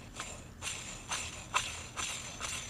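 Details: Old John Deere mower deck idler pulley, bearing packed with grease, hand-spun with a gritty, jingling rasp about twice a second: rough bearing, still not great; all 3 deck idler pulleys need replacing.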